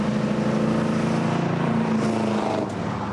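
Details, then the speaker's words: Classic muscle-car V8 (Oldsmobile 442 tribute) after repairs, driving under acceleration: a deep, even burble pulling cleanly with no knocks, ticks or misses. Sounds healthy. "my problem is I want to hear that sound and direct result is hitting the gas pedal nice open"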